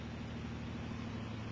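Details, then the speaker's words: Second Bedini pulse motor (2008) on alkaline batteries, 1,000-turn coil, three rare-earth-magnet rotor, rheostat turned to voltage dropout then backed off slightly: steady low hum with fast wavering flutter as the motor oscillates; power pulses return. "what I'm finding is that if you turn the re stat to where the voltage dies and then bring it back just a little bit you can hear"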